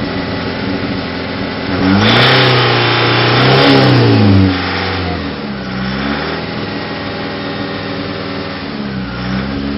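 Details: Nissan ZD30 diesel with a misfire, recorded at the tailpipe through rev blips: uneven, stumbling beat under the drone, with lots of clearly unburnt diesel at the rear.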